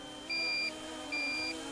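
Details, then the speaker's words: Drone at about 10–12% battery: two long, piercing high beeps about a second apart over a faint motor hum, critical low battery emergency warning, still fully controllable. "so now at ten percent it really beeps at you you can hear that but you can still fly it fine"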